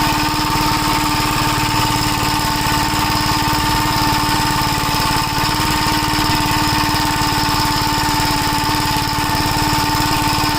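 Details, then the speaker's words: 1965 Gravely L after carburetor repair and governor linkage hookup: steady, even engine note at a constant speed with no surging or hunting, so the governor is regulating properly. "Yeah, the governor. It sounds like it's working. Yeah, it is."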